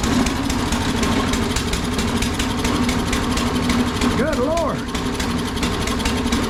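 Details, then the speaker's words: Toro 22-inch Recycler mower, 6.75 Briggs & Stratton Quantum auto-choke, which the customer says keeps dying: runs heavy and slightly uneven, loading up; the choke is stuck closed and not opening, and its spring needs fixing. "Well, something's wrong with that choke. It ain't opening."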